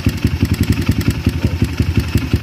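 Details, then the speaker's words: Kawasaki KLX with a PWK carburetor, ticking at idle when cold: rapid, even clatter of about six knocks a second, louder with the slide spring weakened; the worn carb slide is loose in its bore, usually fixed with a brass shim. "kalau misalnya bunyi tadi itu disebabkan oleh badan piston karbu PWK itu lecet sehingga ada selahnya lumayan besar, dan ketika langsam dia akan geter."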